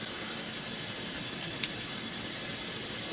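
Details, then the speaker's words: Pressurized petrol cooker turned up to full power with all jets clear, pressure sound growing louder: steady, even high-pitched hiss with no sputter or surging; the burner runs cleanly at full flame. "Now as I turn it up, you can hear the pressure getting louder and louder and louder. That's at full power now,"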